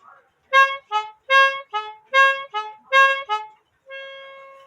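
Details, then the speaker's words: Gordon Haller & Son trumpeter clock. Clear two-note reedy horn calls alternate high and low for about four pairs, then a held note; a lever makes one trumpet sound twice. The mechanism plays properly. "wo Philip I'm still jealous that sounds like a German siren right now it has this lever right here that makes this trumpet go twice"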